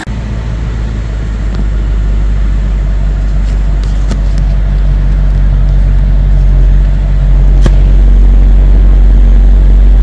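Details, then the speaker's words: BMW 740Li V8, cold idle about 1–2 minutes after start, after new spark plugs, coolant and oil service; steady even low rumble with no stumble or shake. Before repair it shuddered "du-du-du" when cold; now normal. "냉간시의 공회전 상태입니다. 시동 건지 1분, 2분 됐을 것 같습니다."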